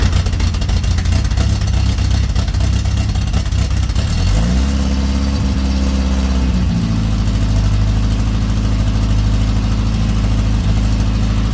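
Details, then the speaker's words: Bugeye Austin-Healey Sprite on the ground after a self-built exhaust pipe and muffler behind the header, air filter refitted: deep even exhaust burble rising cleanly with revs, settling to a steady idle, no rattles or leaks; normal idle and revs. "So the muffler's doing its job. So I'm really quite happy with how that's turned out."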